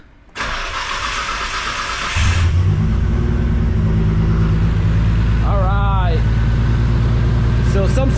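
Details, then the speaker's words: Nissan Skyline R33 GTR RB26, first start after work, igniter ground not connected: catches and settles into a slightly uneven idle with occasional stumble; light misfire, cause unknown. "let's try it all right as you can tell it's got a little bit of a miss here so uh i'm not really gonna mess around with it too too much but yeah it's got a little bit of a miss"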